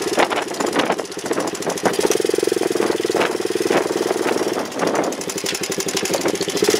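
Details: Honda chopper ridden after cutting off part of the over-welded battery bracket: throbbing engine rhythm rises and eases with throttle, with no rubbing or grinding underneath; the chain now sounds clear and normal.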